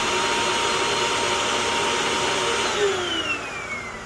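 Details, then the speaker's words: Hoover WindTunnel vacuum with clicking noise traced to a thin, worn drive belt; motor tested alone: steady high whine, no clicking, pitch falling smoothly as it winds down, motor healthy. "let's test the motor even though we have already found the problem the motor sounds pretty good and there is no clicking sound"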